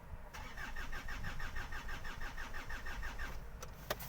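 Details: 2008 Hyundai Santa Fe 2.2 diesel, about 320,000 km: starter spins engine at about three even compression beats a second, never catches, then stops, while crank sensor is back-probed at ECU; inconsistent waveform, cause unconfirmed; cranks, no start.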